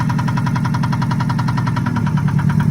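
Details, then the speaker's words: 2003 Subaru Impreza, manual (stick shift), started with a jump at auction: sharp regular knocking about nine per second over a loud, rough idle with exhaust rasp; engine knock at idle, possible exhaust issue, cause undetermined. "Lot number 22, this is going to be a 2003 Subaru Impreza. Started up with a jump. Hear the engine knocking."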